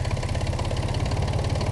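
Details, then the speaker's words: 2000 Ford Contour SVT V6 at idle, with a loud, fast, even tapping knock over the rumble. The owner thinks it comes from under the valve cover (valve, rocker or lifter suspected). It has been present for months with no power loss; unconfirmed. "It's just making that noise and it's a really loud noise and it's annoying and I need to get this thing fixed."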